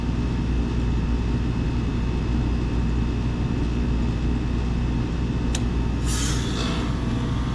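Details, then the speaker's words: Old York R22 packaged heat pump with an intermittent defrost fault, forced into defrost again via test pins and defrost thermostat jumper after returning to operating pressure: steady compressor drone, sharp click, sudden refrigerant hiss whoosh; fan stops this time, unlike previous tries. "Okay. So that sounded like it went into defrost, and look at that, the fan actually stopped again this time."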